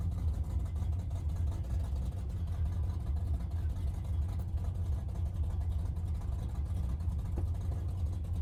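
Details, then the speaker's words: 1971 Plymouth Satellite 318 V8 with a newly fitted Thermoquad, on the road: heavy droning low rumble, louder and coarser than normal. Exhaust thought to be hastily installed and falling off. "Part of the terrible sound is I think the exhaust system's kind of falling off this thing."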